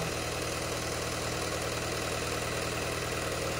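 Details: 2018 Peugeot 3008 diesel at idle; steady clatter at about three beats per second with an uneven, lumpy pulse; injector number one reads 1.17 against about 0.78 on the other three, with a cylinder one combustion fault code; faulty fuel injector.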